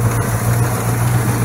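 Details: Mopar 318 V8 in a Valiant, started to check it after replacing hard, broken valve stem seals without removing the heads: smooth, steady low rumble, even beat, no ticking or misses; idling cleanly.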